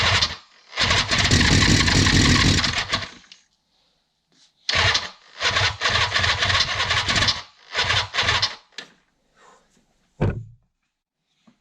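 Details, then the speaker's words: 1976 Suzuki GT750, first start attempt in 30 years, using ether: starter bursts with ragged pops as cylinders briefly fire then die; very close to starting, starter being rested, choke setting uncertain. "We're getting really close. Let's let the starter cool down a little bit. Maybe give it a little bit more ether."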